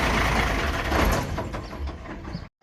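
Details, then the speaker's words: Hino truck with JO8E six-cylinder diesel at 600,000 km, valves never adjusted, heard from the front before adjustment: busy clatter with a light rapid tapping from the valve gear; clearances above standard (up to 0.50-0.60 mm). "นี่คือเสียงด้านหน้านี่คือรถฟีโน่นะครับก่อนที่จะทำการตั้งวาล์วรอมาทำการเก็บเสียงก่อนนะครับ"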